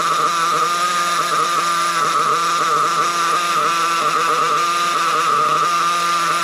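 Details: Nitro RC buggy engine, cold day: high even buzz with plenty of smoke at the top end but audibly lean at the bottom end; low-speed needle fault, confirmed as a carburettor issue.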